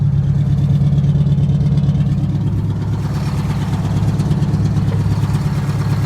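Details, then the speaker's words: 1969 International 400 dump truck, Detroit 8V-71 two-stroke V8 diesel, after cracked bell housing chained shut and air starter used, fuel stabilizer and cetane boost added: deep even idle with fast regular beat, no misses or knocks; normal idle. "the 69 international 8d 71 running"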